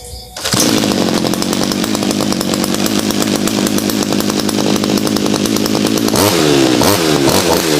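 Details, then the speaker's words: Two-stroke brush cutter after owner's modification and tuning for fuel economy (about one litre cuts nearly a rai): crisp, even buzz at steady speed, then clean blips up; still running healthy and strong. "แล้วฟังเสียงตอนที่อุดมได้ตกแต่งมาแล้วนะครับเสียงก็ยังโอเคแรงก็แรงอยู่นะ"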